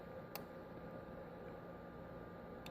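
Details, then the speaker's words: GK800 LD staged 2x8 CB amplifier with HG 04-4 2879 transistors and an inverting preamp: two sharp clicks over quiet hiss as it is keyed and unkeyed. Relay switching is normal; the drop-out delay is intentional for sideband. "Alright, I'm keying, unkeying. Alright, and the reason you hear that little delay in there is just in case you're on sideband."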